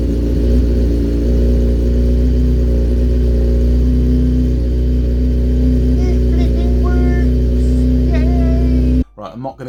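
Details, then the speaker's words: Motorcycle ("the Punisher") running on choke after its lithium battery, found at 10.8 V, was recharged for a couple of hours: smooth, even beat with no stumble. Normal running. "It works. So right, okay, the battery has taken a charge."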